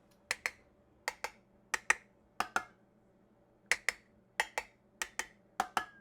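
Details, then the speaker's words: Tap test on a row of four freeze-dried food jars: three ring crisp and high, the last gives a low, dull, flat tap; its button pops, so it is unsealed. "that one's super obvious right it's obviously this last one low kind of dull flat high pitched um so again we I would take the ring off I would see if the button pops it does it's unsealed"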